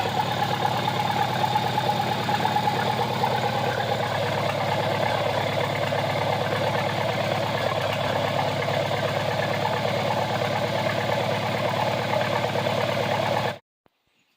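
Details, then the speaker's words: Old tractor just refitted with a reassembled Marvel-Schebler TSX 878 carburetor: steady, even chugging at idle for about thirteen seconds, then a clean cutoff; engine running properly. "Time to start it up. We have a runner."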